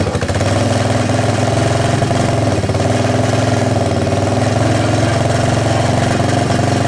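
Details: Yamaha 660 Raptor ATV after oil leak repair, ridden: loud, steady single-cylinder drone staying flat instead of climbing; bogging under load, riders suspect clutch slip or poor tune, unconfirmed.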